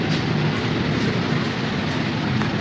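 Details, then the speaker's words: 12V DC air cooler water pump after its faulty motor was replaced; steady, even hum and whir with no rattle, grinding or surging: normal pump running, repair successful. "ये हमारा water pump बिल्कुल सही हो चुका है।"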